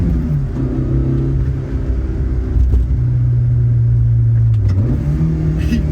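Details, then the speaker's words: AE86 GTS, built 4A-GE 16-valve on a new Haltech Elite ECU tune (128 whp, new final drive): smooth rising drone through the gears to the 7,500 rpm redline, quick clean shifts; earlier hesitation and misfire gone; normal acceleration. "It feels so willing to get wrung out. We can finally drive the car properly. Before, it was hesitating all over the place. It felt like there was misfires, but now it's just smooth sailing all throughout the 7,500 RPM red line."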